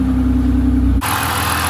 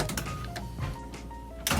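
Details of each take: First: BMW 323i E46 with M52 engine after replacing the faulty air flow sensor that caused its starting fault: starts and runs cleanly at a steady, smooth idle hum with an even low drone, then a brighter rush of noise; normal idle. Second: BMW E46 323i with M52 engine, starting fault for months since the subframe and fuel tank work: cranks, catches with a brief rough burst, then dies within seconds instead of idling. Starts only after 10 minutes on ignition; the air flow sensor was faulty.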